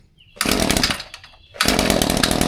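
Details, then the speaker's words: Echo 2620TS string trimmer, cold, primed and choked: bursts into a buzzy run, sags and nearly dies within a second, then catches again. Bogging and won't hold idle. "There you go. Once the Echo pops off. Supposed to start. Now, normally it will stay running."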